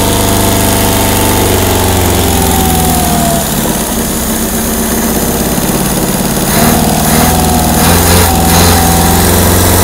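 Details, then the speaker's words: 1972 Opel GT first start after sitting 30 years: uneven, lumpy running with sharp pops as it spits back through the carb. Crew suspects the choke needs adjusting. Backfire popping and rough running, not confirmed. "i always expect a flame to come with that noise that shouldn't be hurting nothing huh"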